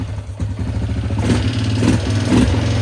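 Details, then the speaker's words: 2001 Yamaha Grizzly 600 single, footage from before the repair, barely revving and not taking throttle. A rough, rapid clatter is piston slap from a seized wrist pin, possibly from oil starvation. Fixed with new piston and cylinder, crankshaft rebuilt or replaced. "Alright, so she's not taking much throttle. That engine sounds a little noisy."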